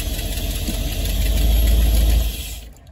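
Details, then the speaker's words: 1978 Dodge Robinhood camper RV, idling, loaded in Drive and reverse after sitting in neutral: deep, even rumble with no slipping flare or clunk. It previously wouldn't pull and trans fluid read very low cold; owner suspects the torque converter drained down. Transmission now holds. "put in a neutral we let it sit in idle for a little while and now I want you to hear it so it's under load it's loaded up on Drive let's loaded up on reverse"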